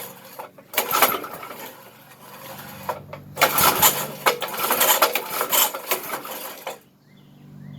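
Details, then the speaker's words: 33-year-old Briggs engine on a yard kart restoration, chain off, cranking on choke in short uneven bursts without firing; fuel squirts out around the carb throttle shaft, and the owner suspects carb problems flooding the engine. "It's got carb problems or something, because when I crank on it, it squirts out fuel around the throttle shaft. That ain't good. It's probably just flooding the engine."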